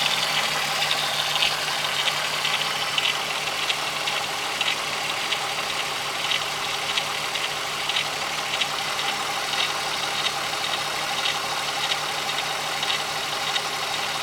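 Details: 12v VR6 petrol engine at steady idle with light, fairly irregular high-pitched ticking about every two seconds; cause not pinned down; engine ticking at idle.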